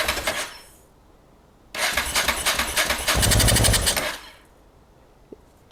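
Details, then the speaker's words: Honda NTV650 motorcycle left unused 15 years, first start attempt: starter cranks in bursts, engine catches with a rough chuffing roar about two seconds then dies; won't keep running, owner suspects it isn't drawing fuel. "It really wants to live. Well, yeah, so we've got life. I don't think it's drawing fuel through there."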